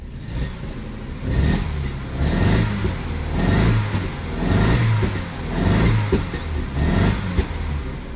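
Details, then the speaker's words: 2006 Vauxhall/Opel Astra H Z14XEP 1.4 petrol (dual-fuel, running on petrol), gently revved: rough, uneven stumbling misfire, sometimes stalls; compression test found one cylinder with low compression causing the misfire. "I hope you can see how badly is misfiring the car hacks me stalls sometimes but this is why it is"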